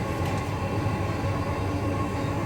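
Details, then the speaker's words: Newly installed 5 kW Chinese diesel heater from AliExpress in a sailboat, primed and running after ignition with smoke out of the exhaust: constant steady roar of burner and fan with a faint even whir, no sputtering. Burning diesel cleanly, exhaust getting hot, producing heat. "We do have ignition because we have smoke out of the exhaust, for sure. So there is diesel being burned."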